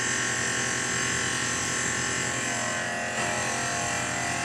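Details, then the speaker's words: Tormach PCNC with Superfly fly cutter at 2500 rpm, coolant on, jogging at 20%, facing aluminum at about 100 thou depth of cut; steady even ringing whir with no chatter or grabbing, eats it right up, clean cut. "I'm taking about a 100 thou depth of cut maybe a little much let's see how she does yeah eats it right up man this Super Fly is"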